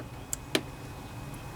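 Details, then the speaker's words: Kohler Courage 27 hp twin-cylinder engine on a Craftsman riding mower, after carburetor cleaning: key turned to first position gives two crisp clicks, fuel shutoff solenoid working normally; it was silent before because it was gummed up. "listen hear that clicking that tells us that that fuel solenoid is working just fine"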